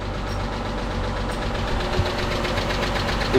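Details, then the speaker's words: Chrysler 300 3.5L junkyard engine after swap: uneven light ticking over rough idle, a few taps a second; suspected stuck lifter/valve train or a stuck, non-firing fuel injector, not confirmed; engine ticking at idle. "sounds like a stuck lifter, something in the valve train, which could and it could just be a stuck fuel injector, too, not firing."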